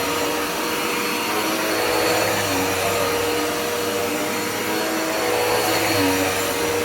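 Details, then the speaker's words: Dirt Devil Powermax upright vacuum after clearing a clog that made it sound off: steady even motor whir with smooth high airflow rush, no surging or rattle; normal running with clear suction. "i'm back with the dark devil it was clogged up when i did a test run um i did not realize that it was until i turned it on uh let's see this is what it sounds like now much"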